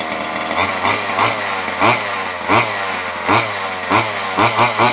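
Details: Nitro RC car engine on a replacement glow plug, no receiver battery fitted: high buzzy engine blipping up and down in quick throttle bursts; starts and pulls cleanly on the new plug.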